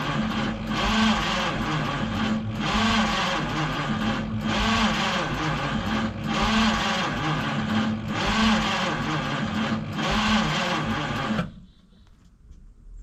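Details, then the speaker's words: 1953 Studebaker Starliner, possibly off road 45 years, old plugs, wires, points, 6-volt, factory wiring bypassed with hot wire to coil: starter churns about eleven seconds slowly and unevenly, never fires; erratic spark, owner suspects dirty points. "So, I saw a spark, but it's very erratic. I don't know what causes that."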